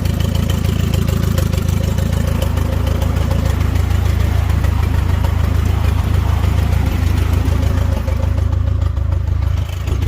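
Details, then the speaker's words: Turbo 1995 Nissan Hardbody, stock internals, previously hydrolocked, owner suspects bent rod, sounds weird hot; idle around 20 psi oil pressure, running lean, TPS erratic: deep uneven pulse about four beats a second with clatter; rough idle. "There. The two Nissans. Before it turns off again. She sounds funny, alright."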